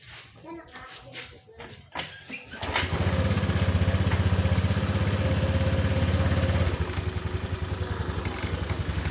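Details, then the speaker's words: Honda Vario 150, serviced for jerky running and low power, after CVT check and DTC reset, old battery at 11.6 V too weak to crank: fires and settles into a quick, even idle; throttle pickup now normal and light. "ini sudah enak guys bisa kita dengarkan"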